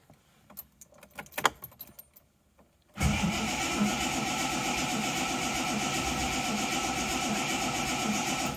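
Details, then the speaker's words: Reliant Scimitar SE6A, started with a little choke after first 20-mile drive since purchase; about six seconds of steady even starter cranking with no catch or firing; cranks but won't start, cause not found. "oh dear not [Music] starting okay not even trying to fire brilliant another job to do fantastic"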